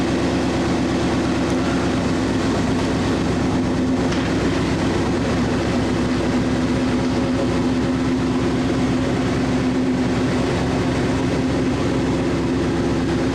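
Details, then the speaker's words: Boss 5.0 Coyote V8 swapped into a Bronco, started after a week of rewiring: deep, even V8 rumble holding a steady idle with no knocks, misses or hunting; normal idle. "oh, it's so nice. I'm gonna hold that, shut off."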